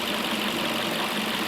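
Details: 2005 Toyota Corolla, warm, in closed loop with intake at 100 degrees, after vacuum-leak repair for a lean code (now only pending). Smooth, even idle with a soft steady hiss, no ticks, misses or surging; fuel trims are relearning and the engine sounds healthy.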